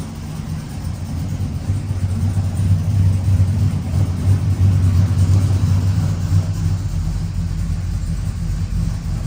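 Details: 1999-06 Chevy Silverado V8 with cam, new Flashark headers and intake, idling lean near 15.4–15.5 AFR: deep steady burble, even beat, no knocks or misses; healthy idle.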